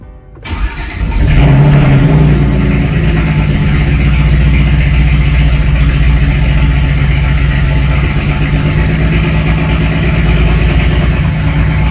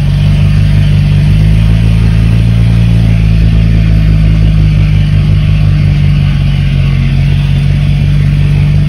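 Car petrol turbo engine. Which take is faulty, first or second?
first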